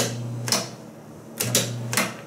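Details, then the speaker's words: 1975 Amana Radarange RR-6W microwave, start pressed with magnetron not running: crisp mechanical clacks at the door as the interlock locks, with a steady low hum between; interlock working normally. "not gonna keep doing that but yeah that is the interlock right there"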